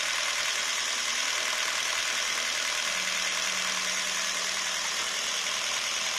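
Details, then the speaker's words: Jeep Renegade 1.4 L MultiAir turbo I4, after fixing a rough misfire (codes P0300, P0303, P0304, ignition coil C), with plugs checked: an even, steady idle with no stumble. The engine light is off and it runs cleanly. "Engine light is now off. Idling issues seem to be okay."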